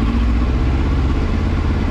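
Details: 2000 Yamaha R1 4XV after carburetor repair and synchronization, slightly warmed up: deep, steady four-cylinder idle with an even beat and no stumbling or misses. Normal idle.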